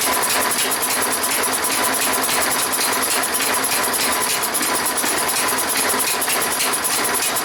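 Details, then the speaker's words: Toro lawn mower small engine, running fast and steady: hissy, breathy edge over the firing as compression puffs out through the head gasket; blown head gasket suspected. "I can hear it coming through the head gasket."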